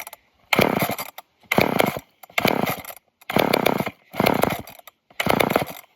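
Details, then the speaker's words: Old off-brand Canadian junkyard chainsaw with a dirty fuel filter, choke used: six short bursts where it catches, runs about a second and dies; starts but won't stay running, owner suspects it struggles to pull fuel. "Dang it. It'll start, but don't want to stay running."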